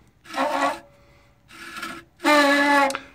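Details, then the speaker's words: 1990 OMC Cobra 5.8 L marine engine water pump turned by hand during disassembly: three rough rasping spins with squealing metal-on-metal grinding, very badly worn bearing though the pump still performed fine. "gonna go out on a limb here I'm going to say that's not normal so we've got a combination of metal grinding metal sounds and to give my viewers an idea here this is probably the worst sounding bearing I've ever heard before it's bad"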